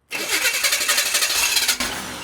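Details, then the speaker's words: Abandoned 1968 Chevy Impala four-door, long sat, fuel poured into carburetor: starter churns in quick even beats under two seconds with a few sharp catches, then dies; fires briefly on primed fuel, no fuel system yet. "I heard it hit. TRY AGAIN. LET'S TRY A LITTLE MORE FUEL. Maybe she's thirsty."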